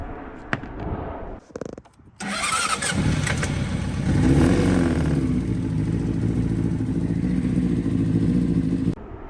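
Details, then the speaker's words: 2006 Honda CBR600RR engine: the starter whirs, then it catches and runs rough with a heavy, uneven knock about three times a second; a broken connecting rod. "That doesn't sound good. Oh, we lost a fucking rod."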